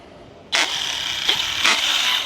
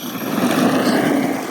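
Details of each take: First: Used ARRMA Big Rock 6S RC truck on 3S batteries, driving under throttle close to the microphone: sharp high gritty whine in three surges, gears grinding in the front end, with wobble noticed around the drive cup. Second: Used ARRMA Big Rock 6S RC truck on 3S batteries, after front-end teardown and reassembly: even electric motor whine rising and falling smoothly with throttle, no clicking or grinding; earlier noise gone, problem solved.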